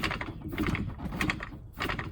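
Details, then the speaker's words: Samsung top-load washer laid on its side. As spin mode engages, the clutch handle is pulled up and rough, uneven bursts of clicking and flapping sound over a low drum rumble. Bad clutch; replacing the clutch is the fix. "when it goes in the spin mold this this unit pulls this handle up as you can see the little wire right here it'll pull it up to gauge the clutch"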